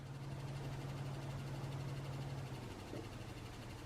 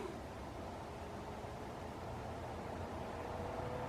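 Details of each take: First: Newly built desktop PC at first power-up: low steady hum that drops away partway, leaving a faint whir; the rear exhaust case fan is making the noise, its LED not lighting, and other fans are noisy too. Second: Case fans on a new desktop PC build at first power-up, slowly ramped to full speed: steady airy rush with a faint rising tone, even and clean; normal loud airflow at full blast.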